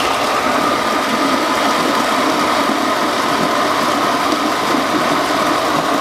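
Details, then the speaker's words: Shimizu shallow-well water pump with check valve, pumping until it runs dry: steady even motor whir, faint high tone, no surging or rattle; normal running. "Oke sekarang kita akan coba ya pompakan Air ini sampai habis Apakah pompa ini nanti bisa kita Nyalakan kembali tanpa mancing ya ayo kita habisin ya"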